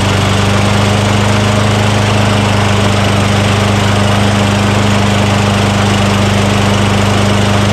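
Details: Craftsman self-propelled lawn mower with 6.75 Tecumseh single-cylinder engine, a curbside trash find, just started after priming the intake with spray degreaser during oil sludge drain repair; steady drone, firm low thump, no misses or knock, normal running.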